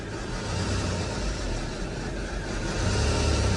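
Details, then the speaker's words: Isuzu KB300 diesel at an aircon shop during AC gas refill, revved: rough uneven low droning growl that swells and fades; owner suspects a bad AC belt or pulley, sound points to a failing compressor. "Just found out now that I think my belt or my pulley on the AC, it's bad. It's bad, so it's making this noise."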